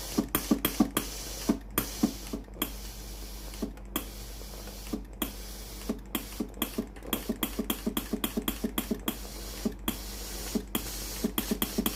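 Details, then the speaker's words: Philips PSG8160/30 steam iron after pump repair, retest once ready light stops blinking: quick uneven ticking clicks over faint steady buzz as pump feeds water; normal pump operation. "ตอนนี้ปั๊มน้ำเริ่มทำงานแล้วนะครับตอนนี้เครื่องพร้อมส้งานแล้วนะครับ"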